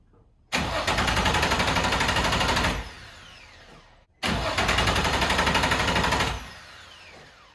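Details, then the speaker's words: Nissan 350z drift build cranks with two even bursts of about two seconds each but never fires; owner thinks he hears the fuel pump kick on with the key, so suspects the fuel pump may not be the cause; crank, no start. "but now we've got to figure out why this thing won't start it's just cranking"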